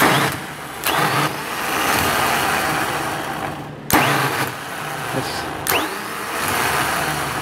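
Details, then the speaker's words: 10-year-old starter from a 2008 MaxxForce 7 diesel, bench tested in a vise: repeated bursts of harsh, rough, uneven grating growl as it spins; worn starter dragging on worn bushings. "they're gonna best just ten-year-old Stewart had a real growl sound when it was engaging in sort of a max 4-7 2008 you feel it here our raunchy it is when we give it a go here"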